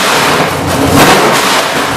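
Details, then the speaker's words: GM 604 crate (CT400, ZZ6 internals) circle-track race V8 with headers and carburetor on a test stand, gauges fine: revs blip up and drop back cleanly, crisp even exhaust, no knock, miss or rattle; engine runs just fine. "the purpose of this video is to demonstrate that this motor runs just fine"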